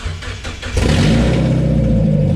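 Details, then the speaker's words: Mazda Miata after clutch and transmission refit: engine catches after short crank and revs smoothly with strong low rumble, no driveline grinding; input shaft appears properly seated. "so it sounds like the input shaft is in properly"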